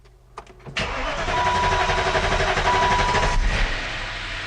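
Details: BMW E53 started after sitting about 3 years with a no-start, following fuel pump troubleshooting and hose clamp repair. Starter whirrs briefly, engine catches cleanly into a steady fast idle with a light top-end tick; valve train noisy from oil drained from the lifters.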